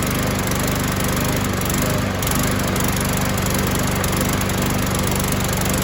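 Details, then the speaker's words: 2015 Yard Machine mower, model 11A-B0BL729, Briggs & Stratton 140cc: it runs loud and rough with an uneven, lumpy beat after carb spray and fuel treatment. Owner suspects a partly sheared flywheel key or, more likely, a partly clogged carburetor. "so either this has a partially sheared flywheel key or it's got some junk in flipping the carburetor"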